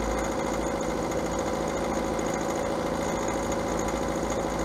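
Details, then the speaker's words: Idling engine with a fast, light, sewing-machine-like ticking from the valve train: valves or lifters out of adjustment, fixable by recalibrating or replacing shims if the engine uses them. "El segundo es un ruido de motor en el sistema valvular, y que si fuese más fuerte y menos frecuente, podría ser inclu"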